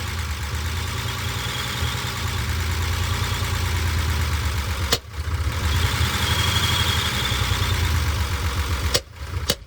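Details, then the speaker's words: Unimog inline six, strapped down to put load on it, running for a while. Labours unevenly and starts popping under load, then the note collapses and it dies. Cause not yet known. "It just starts popping and dies as soon as I get a load on it."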